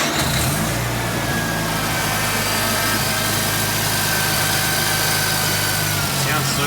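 Busy but even rotary idle with a steady low drone and no misses or stumbles; the freshly turbocharged engine is running smoothly.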